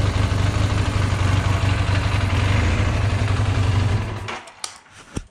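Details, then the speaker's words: 1978 Honda CB400A Hondamatic after swapping in a rebuilt spare set of VB24 carburetors; the right carb idle/air jet on the old set was damaged. Steady, even low putter at about four beats per second, revving cleanly. Smooth, healthy idle, throttle stutter solved. "So here's what it sounds like when you start it up, when you rev it up. That's definitely what it's supposed to sound like."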